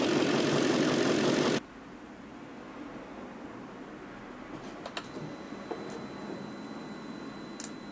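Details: BMW M62B44TU V8 with stock exhaust, after replacing the chain tensioner with an aftermarket INA part: short burst of revving, then a quiet, smooth, even idle with no chain rattle or slap; normal idle.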